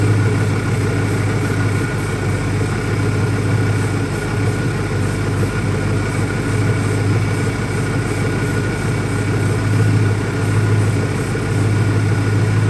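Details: 2001 Ford Mustang Cobra with new Bosch spark plugs: low, uneven, loping warm idle with no steady rhythm. The owner doesn't think it's a vacuum leak; rough idle, cause not yet found.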